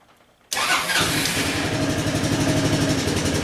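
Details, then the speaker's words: Honda Helix CN250 salvage scooter, first start on a cold morning: catches after cranking, then runs with an uneven, lumpy beat that never settles. Rough running, probably from bad old gas. "sing run it's a little sounds a little weird okay [Music] oh yeah definitely might be having a problem that's probably the bad gas to be honest"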